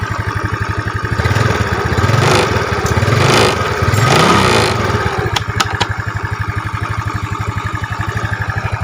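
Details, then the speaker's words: Yamaha Mio scooter after replacing noisy cam chain with Honda chain (90 links) and adjusting valves; small revs settle to even idle, smooth quiet top end, faint hiss because cam chain tensioner cap not yet fitted. "di sini suaranya sangat pelan sehingga Anda benar-benar bisa mendengar suara motornya. Perbedaan antara halus dan tidak halus."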